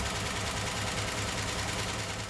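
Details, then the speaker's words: Freshly rebuilt 0.030-over 305 Chevy V8 in an IROC-Z Camaro, with about 3 hours and 23 miles on it, a Comp Cams cam and a cracked block leaking coolant into the oil: loud, fast valvetrain clatter. The cause is loose rocker arms and flat cam lobes. "while i was running these back pressure checks it just became evident that the valve train noise was excessive"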